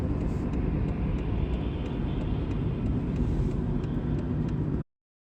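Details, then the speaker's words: Mercedes W203 at about 100 km/h: steady low droning hum from a worn right rear wheel bearing, getting quieter when turning right and louder when straightening, then the sound cuts out. "когда вправо поворачиваешь значит он тише когда вправо поворачиваешь Он немного Тише затихает"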